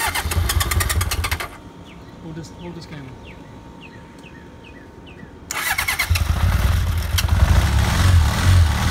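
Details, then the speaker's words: 1982 Honda CB750 after carbs were flushed and refilled with fresh fuel by syringe, little gas in the tank: engine catches and settles into a lumpy, uneven idle with a wavering beat; it runs rough and needs running and cleaning out. "it's firing up you know it's a little rough it needs to be run and cleaned out but I do want to show you that this thing fires up"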